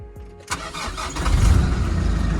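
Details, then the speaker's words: Nissan Navara D40 after replacing the failed, non-cranking starter, in neutral: short quick crank, engine catches cleanly and settles into a steady low idle; newer starter engages and turns it over fine. "Oh man, sounds really nice with the newer starter. That's great."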